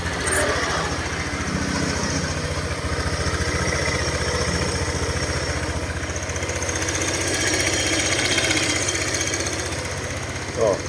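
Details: Honda Click 125i LED (2017-18) after repair of an internal tapping noise: a steady, even putt at idle, about three beats a second, with no tapping or rattle on top; the engine sounds healthy and quiet.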